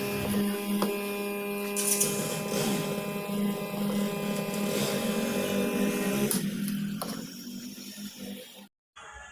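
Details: Cooler motor powered on the bench gives a steady mains-pitch hum with no spin-up; motor energised but not turning, found broken inside when opened.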